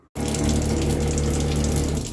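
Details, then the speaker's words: Standard faucet with running water and a steady low buzzing shudder in the pipework from the cold side; the failed O-ring in a worn Zurn cartridge causes water hammer, to be fixed by replacing the cartridge. "But once we get a new Zurn cartridge in there, that should get rid of the water hammer."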